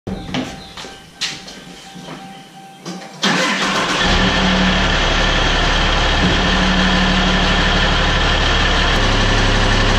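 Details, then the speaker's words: 1000 hp 6.7 Cummins Dodge Ram drag truck after a 10-second track run: cranks, catches and idles with a steady knock about four per second; flexplate/torque converter bolts backing out and hitting the flexplate. "[Applause] that is just one terrible noise"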